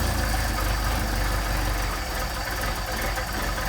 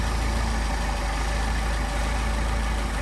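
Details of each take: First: Mercedes 190SL with Solex carburetors, just after a cold start on choke: fast, even cold idle with a smooth steady beat and no misses or knocks, running cleanly. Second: Mercedes 190SL with Solex carburetors, idle near 600 rpm: turning the first carburetor's idle mixture screw in makes the steady idle sag and stumble, running too lean.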